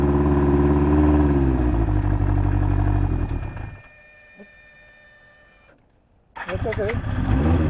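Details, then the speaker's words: Fuel-injected 1983 Honda CB1100F prototype, first start after 17+ years in storage with a fuel pump heard priming. The four-cylinder revs up strongly and drops cleanly back to a steady, even idle with no misfire or knock. Normal running. "17 plus years in storage and give this thing a shot all right it's here fire it up"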